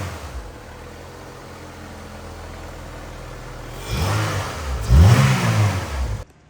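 Quiet steady idle, then two clean blips of the throttle rising and falling smoothly with no clunks or shudder; engine sounds healthy.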